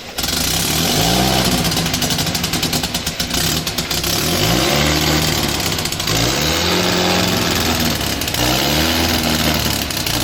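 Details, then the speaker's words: 1961 Austin Healey Bugeye Sprite, freshly restored engine first start, blipped repeatedly with a raspy puffing edge on each pulse; exhaust leak at the donut gasket, needs tightening. "You can hear the exhaust leak from that donut down there. I've got to fix that, tighten that up."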